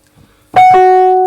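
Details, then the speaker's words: Wurlitzer 200A/EP200 electric piano, powered on, dodgy F note. A held note with a sharp clack at strike and release sounds off pitch. The reed is out of tune and touching the pickup. "Secondly, you've got this horrible clack. Now, Andy's mentioned these things work with little reeds that vibrate in a pickup. And the reed here is actually touching."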